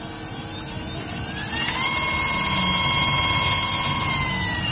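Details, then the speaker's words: Volta 401 electric scooter with its controller upgraded to a Votol EM50S: the BLDC hub motor's clean whine climbs and holds a high scream at top speed, faster than stock. Normal, though the speed needs calibration against GPS. "dari suaranya udah menjerit ya. Jadi ini speednya udah lebih kencang dari bawaannya ya."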